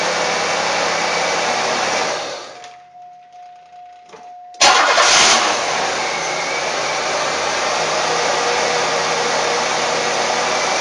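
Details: 1994 Buick (OBD-1) after repair, troubleshooting unmetered air/vacuum leak: engine shuts down and refires quickly, then steady even idle with no hunting; brake cleaner sprayed at suspect spot causes no rpm change, so no vacuum leak there.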